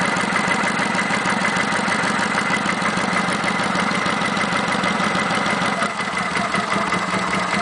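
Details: Kawasaki Vulcan 900 (VN900) V-twin at idle: light, quick ticking about three per second, normal valve train chatter present since 1,000 miles and common to every VN900; no engine problem.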